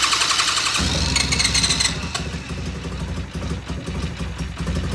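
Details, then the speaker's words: Restored vintage British Norton twin, first start in the shop after trying more gas or choke: hissy first moment, catches under a second and settles into a rough but steady warm-up idle. "that is coming to life it's alive it's alive all right we're going to let this sit here and warm up"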